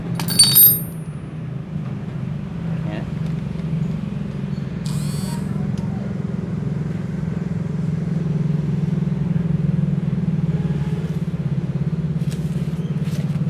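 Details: Suzuki Shogun R 110 with clutch adjuster deliberately set wrong, turned less than an eighth of a turn: steady single-cylinder idle with a low droning hum and slight uneven rumble. Fits a clutch dragging from the misadjustment.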